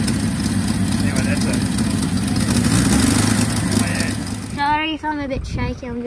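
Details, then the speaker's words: 1962 Bedford TJ truck engine freshly revived, revved up a bit: rough, uneven beat before dropping away, with heavy smoke; owner suspects a hole in the rocker cover, and a Welsh plug is leaking coolant. "so we got it there's started serious bit of smoke over there maybe it's claiming there's a hole in the rocket cover"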